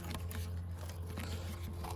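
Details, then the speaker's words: Renault 21 original coolant hose squeezed by hand during a cooling system rebuild; hose still fairly flexible, coolant drained brown and rusty. Dry crackling crunches over a low hum, from rust and old coolant crusted inside the hose. "It's crispy, and that's what, rust and degraded rubber? It's mostly rust and just old coolant."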